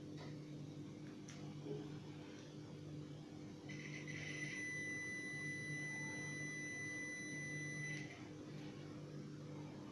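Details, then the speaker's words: LG microwave with no power: multimeter in continuity mode on the power-cord line fuse gives a steady high beep for about four seconds; the fuse is good. "you put this multimeter in a continuity mode. I think you can hear the beeping sound."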